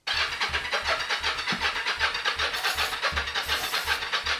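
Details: 1983 Yamaha XZ550RK Vision, neglected, starting fluid sprayed into intake to check fire on both cylinders: steady starter whirr with even compression pulses about 2.5 per second, never catches; cranks, no start.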